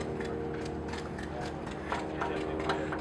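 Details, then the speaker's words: Dawn Equipment Reflex hydraulic planter down pressure control system on a static display stand, pump and controller on: soft fast irregular ticking over pump hum as the return valve cycles to regulate pressure, normal. "if you come in closer you can hear the valve ticking ok that's the pressure in the return valve turning on and off"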